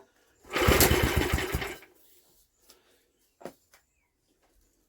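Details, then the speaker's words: Old Villiers engine, refitted and being test-started with petrol poured down the plug hole and choke off: about a second of steady cranking pulses with no spark and no firing; cranks but won't start. "we're not even getting a spark are we we're not even getting a fart I thought she might have at least farted on us"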